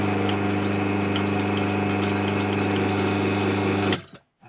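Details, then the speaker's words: About 90-year-old original motor of a Myford ML8 lathe, after cleaning and oiling during restoration: steady hum with a loose clanking rattle about four times a second until switch-off; rattling bearing cover. "now did you hear that sort of rattling noise clanking rattling noise there that's that bearing cover that's what i'm gonna have to live with from that for the time being"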